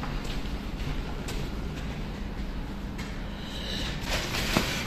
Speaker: this lift is going 3.5 m a second and it keeps bagging its rollers all the time and it's in very bad